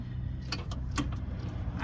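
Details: Ford Transit Connect, engine idling while rocked back and forth: low idle rumble broken by loose clunks; rear engine mount failed, causing MOT failure, to be replaced.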